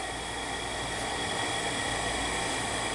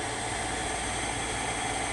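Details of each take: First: Shibaden (Hitachi) SV-510U reel-to-reel video tape recorder in play mode: steady airy whir with a faint high whine from the spinning head drum, but the capstan isn't turning because its drive belt is missing. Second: Shibaden (Hitachi) SV-510U half-inch reel-to-reel video tape recorder, capstan belt missing, tape sensor pushed in to simulate tape: steady even hiss and motor hum, no catches or speed wobble; transport runs.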